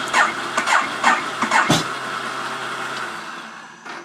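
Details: Ducati 848 hard to start: several slow, uneven cranking bursts about twice a second that never catch into a run, then the sound fades; cause not established.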